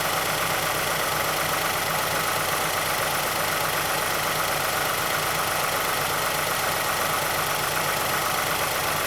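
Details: 2006 Mazdaspeed6 at idle just after a cold start, under Special Service Program 87. A faint, regular tick of about four per second comes from the timing chain area. A VVT or timing chain fault is suspected but not confirmed.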